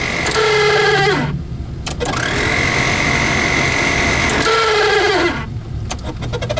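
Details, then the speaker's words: 1988 Chevy G20 van AC blower motor: sharp bird-like chirps and squeals gliding down in pitch over the fan rush, repeating every few seconds; owner wonders if leaves are stuck in the blower or the motor is about to fail. "that sounds like a bird the motor is probably getting ready to go"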